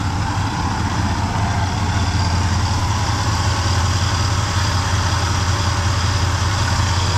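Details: 1974 Chevrolet C10 pickup, reportedly Corvette engine, after vapor-lock fixes and a fuel leak: even, steady low idle with no stumble or misses.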